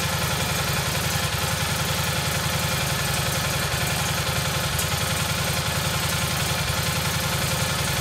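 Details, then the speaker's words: Rebuilt single-cylinder Kohler Magnum M18 from a Cub Cadet 1882, first start in two years on a test stand with a gravity-fed tank, targeting about 1400 rpm: a steady thump near 160 a minute with a slightly uneven beat; running a touch rich, the carb needs tuning. "sounds good a little rich huh"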